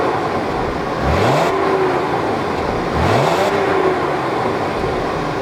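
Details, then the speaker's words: VW Passat V6 4Motion, just bought and driven home: two quick blips, pitch climbs and drops cleanly over a soft muffled exhaust; normal revving, healthy engine. "i gotta say they did a great job on the mufflers on this car because there's virtually no sound from this exhaust"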